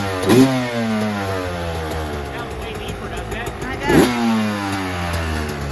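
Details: 2024 Yamaha YZ125 two-stroke after fitting a new FMF pipe and silencer, JD jetting kit, Castrol full-synthetic oil and new fuel mix to cure jetting problems and fouled plugs: two sharp blips rise cleanly, drop back to a steady burble, no bogging; running well.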